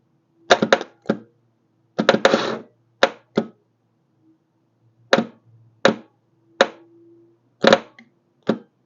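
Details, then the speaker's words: BMW R1150RT motorcycle with the starter fed directly by bridging the ignition feed, bypassing the wiring: short, sharp bursts of clatter that only engage now and then, confirming a failed starter motor and not the wires. "It's doing it now and again, so it's so starter motor has officially had it, so we'll get one ordered, and I'm glad it wasn't the wires."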